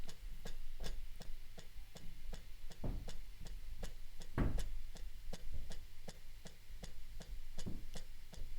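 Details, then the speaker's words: Eurorack mechanical stepper sequencer at slowed clock: crisp mechanical ticks about three a second with a faint hum underneath; steps are skipped, apparently from noise giving extra clock pulses rather than the motor. "that's okay obviously but is skipped so I think I thought it was the motor but it looks like like if you look at the if you look at the numbers look so should be not 2 1 2 1 2 3 4 not 1 2 3 not 1 2 3 so it's like skipping numbers so it's getting like it's getting some noise isn't it"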